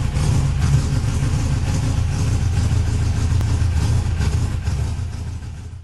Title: first start after fixing the cam degree, 08/01/15